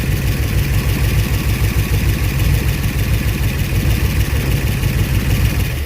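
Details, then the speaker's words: Long-abandoned Eleanor-style Mustang project, first start after over a decade, hot-wired: loud, lumpy idle with uneven, stumbling low beat, "a typewriter"; seems dead on about two cylinders, rough idle misfire, cause unconfirmed. "It's running. It ain't running really good though, but it's running. Hey, it's idling too. Oh, it sounds bad. It's dead on like 2 cylinders for sure. She's a typewriter."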